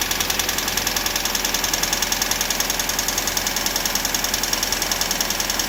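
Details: 1999 Toyota RAV4 at idle: crisp, even ticking about three to four per second over a quiet engine; source unknown.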